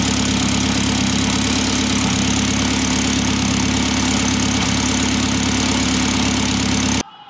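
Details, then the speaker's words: Fully built Evo X SST with PT6466 turbo and V-band exhaust: a rough, uneven buzzing rattle over a steady idle, coming from the exhaust downpipe area rather than the engine; suspected to be the downpipe resting on or rattling a heat shield, not a leak. "I'm pretty sure there's no exhaust leak either one of the heat shields are rattling that's what it sounds like because if I put my head right down there it's definitely not coming from the engine it's coming from like the exhaust downpipe"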